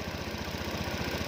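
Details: Honda Beat FI 125 scooter, which started then died with no check-engine light, running on a direct connection during troubleshooting: even single-cylinder putter at about thirteen firing pulses a second, steady with no misses or stalling; it idles cleanly.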